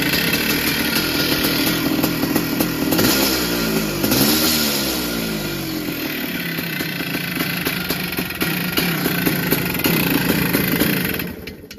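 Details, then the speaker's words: 1982 Yamaha YZ490 big-bore two-stroke, started after fuel poured down the head: revving with tinny rattly clatter over the exhaust; sounds worn, though these engines typically rattle, cause unconfirmed. "Might just turn it off. Sounds like it's a bit rattly."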